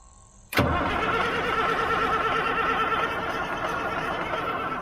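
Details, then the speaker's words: Old 6x6 army truck diesel that won't start, with fuel reaching the return line and the injector lines being watched: the starter churns the engine over, slowing gradually as the battery drags down, with no catch; the cause is not yet found. "start hearing that drag on that battery"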